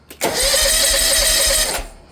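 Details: Exmark Lazer Z HP zero-turn, Kawasaki FH580V about 1.5 years old, won't start after throttle adjustment screw was turned; new fully charged battery: short whirring crank about a second and a half, never fires; cranks but will not start.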